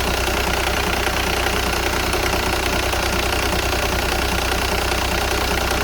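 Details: VW Golf 4 1.9 TDI 110 hp diesel: engine shakes with an uneven, lumpy idle as rpm falls after a rev, also at stops during normal driving; owner suspects an injector or the flywheel, cause unconfirmed.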